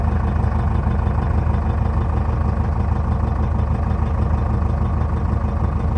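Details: 2006 Jeep Liberty 2.8 CRD 4x4 turbocharged diesel, heard at the tailpipe, all-stock exhaust with catalytic converter and muffler: steady low rumbling idle, even and unbroken, no misses or knocks; normal diesel idle.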